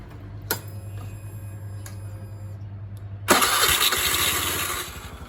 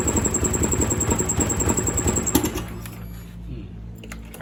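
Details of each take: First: Honda Scoopy i scooter after ECU replacement, previously hard to accelerate with a ticking noise: engine starts, settles into a steady even idle and revs cleanly in short bursts, back to normal. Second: Honda Scoopy-i scooter that starts but won't accelerate runs with a rough, pulsing ticking about three times a second, then drops to a quiet idle; recorded before replacing the ECU, after which it ran normally.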